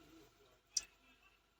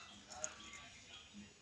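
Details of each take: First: Toyota Hilux 2GD push-start with code P0504, brake pressed, after the brake switch fuse was replaced: a single sharp click at the button press, then silence with no cranking; no-crank from the brake switch circuit. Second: Toyota Hilux 2GD push-start with code P0504 that won't start: a multimeter continuity test on the brake switch's ECU-side pins, pedal pressed and released, gives quiet handling noise then a clean steady beep; continuity beep, switch good.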